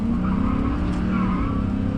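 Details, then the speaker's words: GMC Sierra 1500 extended cab V8 pulling hard with a raspy, puffing edge; the exhaust manifold gasket is blown out, and a bracket bolted to the manifold did not cure the leak. "but that exhaust leak I can still hear it"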